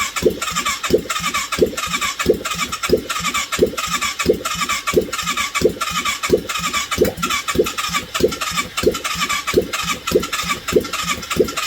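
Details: 1989 Yamaha Virago 535 V-twin after 4 years parked, test-started with no exhaust on full choke: loud open-pipe thumping at a steady, even beat with sharp crackly pulses; runs cleanly with no misses.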